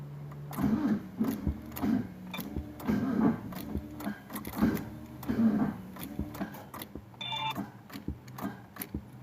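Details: Mitsubishi E Car starter fails to crank when hot but starts at once when cold; weak uneven starter bursts with clicks, solenoid clicking but starter won't turn, engine never catches; heat-soaked starter, removed for inspection.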